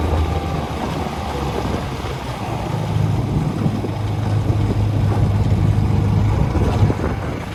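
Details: 1956 Johnson 7.5hp AD-10M outboard in gear under load on a 14-foot deep-V Sylvan boat, about 8–10 mph: deep, steady drone holding even through wind noise, no stumbles; very good running, quiet, reliable motor.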